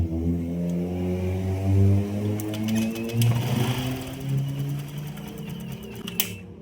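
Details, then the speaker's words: Honda Click 125 scooter idling with irregular light clatter and ticking, roughly two a second; noise appeared suddenly and idle is lacking; mechanic suspects cam chain tensioner or timing chain needs replacing before opening the head. "So, yan yung tunog niya. Bigla siyang nagkaroon ng sounds at saka walang minor. So, ayan, check natin. Kung maring palitan na yung tensioner or yung timing chain niya."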